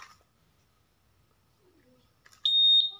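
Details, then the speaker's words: Honda Vario 150 smart key: quiet, then a shrill steady high beep at ignition on. Immobilizer alarm because the new ECU is not yet registered to the key; ECU reset and pairing needed. "Contohkan pasti teriak-teriak bentar ya Ini karena kan belum terdaftar"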